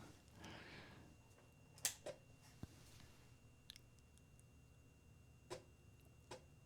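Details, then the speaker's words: Childhood Amiga 500 first powered on after 30-plus years, restored after Varta battery leak, booting Workbench 1.2 with no disk inserted: a few sharp dry clicks a second or so apart as the empty floppy drive periodically seeks a disk, normal. "i can hear the drive working or trying trying to look for a disc i think it does that without a disc in periodically if i remember right"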